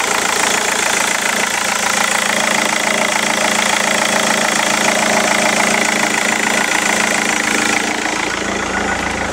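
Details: Rover 75 CDT diesel after fuel filter and fuel pump service, running after priming: even steady diesel clatter at idle, consistent beat, no misses or surging; healthy and settled.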